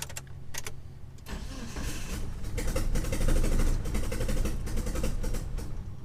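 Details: 1997 Mitsubishi Eclipse GSX 6-bolt swap, first start attempt on a jump pack: steady cranking about four pulses a second, never catches; cam angle sensor wiring fault, later rewired.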